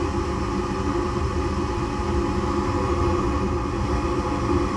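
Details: Furnace after the burner orifices were checked and the flame sensor was plugged back in, following a lockout on a no-heat call: steady, even burner roar with no popping, puffing or rumble, lighting and burning cleanly.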